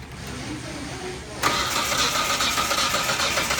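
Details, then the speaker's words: 2005 Hyundai Santa Fe 3.5 V6, crank no start: starter spins the engine at an even pace but it never fires. No spark at the pulled coil, and the coils are shared between cylinders. "guys, we got a 2005 Hyundai Santa Fe here, and we've got a no spark. It's a crank no start."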